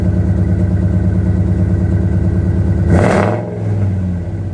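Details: 2002 Ford F150 Harley-Davidson supercharged with long tube headers, high flow cats and new mufflers, fully warmed up with full oil pressure: deep even idle burble, quick rev rising and settling cleanly; normal exhaust note.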